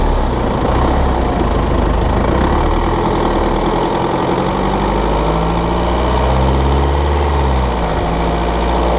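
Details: BMW F11/F10 520d 2013, N47 diesel: rattling/ticking noise when cold and under load at 1500 rpm, a fast metallic rattling tick over the low drone; a faulty injector, pinpointed by ISTA test.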